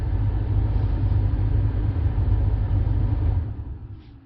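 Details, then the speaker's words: 2009 Buick LaCrosse blower motor cycled on and off via Xtool D8 scan tool active test, key on, battery possibly low; steady low whooshing rumble for about three seconds then winding down; normal blower operation. "that you should be able to hear i think we're going to turn it on hopefully you can hear that"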